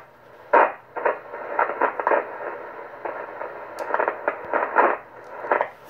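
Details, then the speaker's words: Kenwood TS-120S HF transceiver switched to the 7 MHz 40-metre band, which also shows a power drop: irregular bursts of crackling static break up the receiver hiss, noise coming from the band selector switch; noisy band selector switch. "and you hear there's some noise in the switch here in this band selector here"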